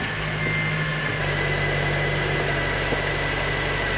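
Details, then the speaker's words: 2005 Honda Element with manual transmission idling unevenly, with an irregular stumble about four times a second. The miss persists after swapping coil packs, so it is not the coil. "Nope, still got a miss. It's not a coil pack. Let's get the plugs out and have a look."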